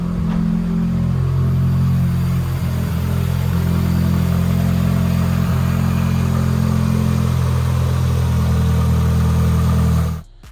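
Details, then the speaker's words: Fully built 2.2L Mitsubishi Evo 9 after swapping the faulty aftermarket coil-on-plug coil packs back to the stock setup: a steady, even low idle with no stumble and no Subaru-like misfire burble; the engine runs smoothly. "yep much better as you can tell the car is not sounding like a subaru sounds fine"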